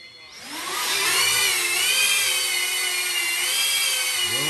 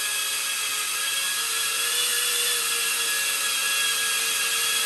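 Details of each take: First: Diatone Taycan 25 cinewhoop on an 850 mAh 4S battery with a Caddx Vista, after 3D-printed duct sleeves closed the gap between ducts and props: a smooth, softer high whine rising and dipping with throttle, no buzz or rattle, noticeably quieter than before. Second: Diatone Taycan 25 cinewhoop on 4S, stock ducts before noise-reduction inserts: piercing steady high whine with buzzy edge and little low end; excess noise blamed on large gap between propellers and ducts, too loud to enjoy flying.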